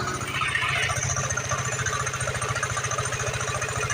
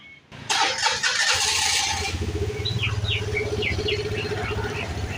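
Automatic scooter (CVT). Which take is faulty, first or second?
first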